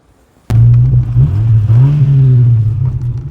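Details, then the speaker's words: Ford Escort Mk6 hatchback with the rear silencer missing (box deleted itself); engine fires into a very loud, deep booming drone with heavy low rumble, open-pipe exhaust sound; the car also has a worn balljoint. "So there's the rear silencer delete. If you want to know what that sounds like, here's a little clip."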